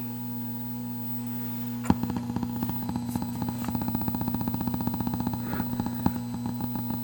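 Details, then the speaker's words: Ms. Pac-Man mini (Cabaret) arcade game, after fuse replacement: game plays, but only quiet ticks about twice a second over mains hum, with no game sound. "all I can hear is clicks that aren't very loud I mean the games playing fine but there is no sound"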